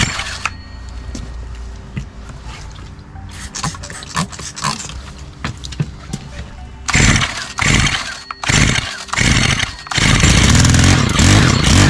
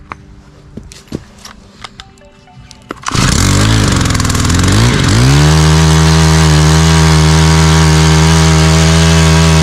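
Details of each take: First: Stihl HT 131 4-MIX pole saw that won't start, cracked primer bulb, starts on choke then dies: carburetor spray test gives stuttering bursts then brief loud run on spray before dying; fuel not getting through carb or impulse line. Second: Stihl HT 131 4-MIX pole saw after carburetor and impulse line fuel system repair: a few clicks, then the engine catches, revs briefly and settles into a steady, even high idle with no stumbling; healthy.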